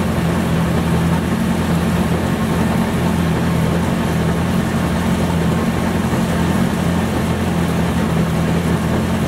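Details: Homemade side-by-side with new heat-treated heavy-duty axles and driveshaft with added support bearing to fix vibration, running with steady low engine drone and even drivetrain spin, no knocking; slight wobble remains, possibly from welded couplers.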